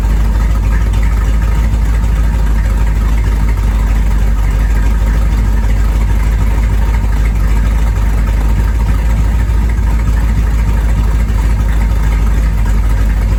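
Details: 1973 Corvette V8, first drive in 5 years: deep steady even rumble, smooth unbroken exhaust note, no knocks or misses; normal running.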